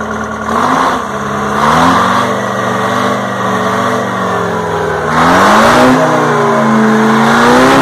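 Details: 1960 Detroit 4-71 two-stroke diesel, ex-generator engine said to have only test hours: a strong, clean note rising and falling smoothly through a couple of revs, no knocks or misfires; owner notes a little smoke at low rpm.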